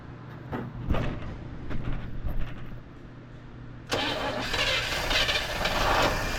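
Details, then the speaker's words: 1958 Chevrolet Bel Air, last on the road in 1993, catching on its first start in about 30 years, running off a gas-filled carb bowl: smooth, quiet run, no tick or knock, barely any smoke. Normal running. "Wow, not a tick, not a knock. Barely any smoke."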